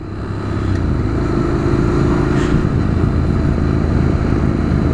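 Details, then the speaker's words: Motorcycle with diesel mistakenly put in the petrol tank, being diluted with more gasoline while riding: on acceleration the engine swells slowly and sounds rough and laboring, tractor-like, with very little power. "yeah there's diesel already in the system because when I accelerate you can hear the noise noise is very [Music] different yeah Power what power oh God it's running like horribly wrong and it's taking ages to accelerate"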